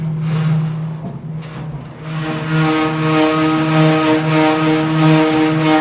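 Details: Samsung DV42H5200GW dryer, nearly empty, suddenly making a loud droning hum that steps up in pitch after two seconds and holds; cause unknown.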